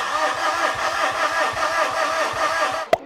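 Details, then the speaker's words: Mitsubishi Fuso FG 4P10 diesel with a CP4 high-pressure pump: starter turns steadily at about four compression pulses a second but it never catches; no rail pressure builds, and injectors 1 and 3 are suspected of leaking fuel back. "And looking at footage, I kind of think injector 1 and three were now bypassing fuel. I'm going to see if I can get a clearer shot without trying to capture the screen at the same time because we know we're not building fuel pressure."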